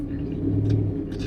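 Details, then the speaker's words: 1976 Ford F250 Highboy swapped to a Coyote V8, first drive after a year: deep, steady low exhaust growl while cruising, smooth even V8 rumble with no misses or knocks, sounding like a race car; normal V8 exhaust note. "Well, one I haven't driven this thing for a year, and the other is it just sounds like a race car. Yeah, it's got a growl now to it that didn't have before."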